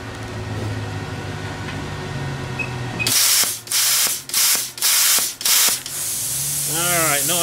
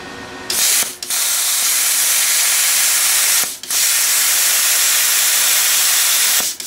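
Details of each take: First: Everlast Power Plasma 50 plasma cutter at 19 amps on very thin gauge steel: the cutting hiss breaks into four or five choppy, sputtering bursts, the familiar sound of too little air pressure. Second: Everlast Power Plasma 50 plasma cutter at 19 amps on very thin gauge steel: a steady, even high arc hiss with short gaps between cuts as it goes through like paper. Normal cutting.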